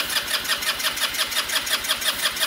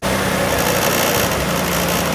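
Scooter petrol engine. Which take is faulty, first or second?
first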